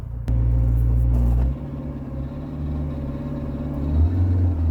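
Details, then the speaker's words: Rover 45 CVT climbing a hill: a low drone holds, then the engine note flares up without matching pull, like a slipping clutch; the gearbox is slipping because it has almost no fluid. "right let's rest that gearbox is slipping because there's just no fluid in it"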